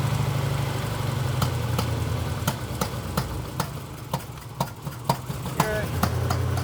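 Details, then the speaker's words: Engine idling with timing set to spec after a distributor change for a long-running backfire; sharp irregular pops two to three per second over a steady low idle, traced to a loose spark plug leaking compression. "that good okay here's where she's supposed to be why is that popping I don't [Music] know"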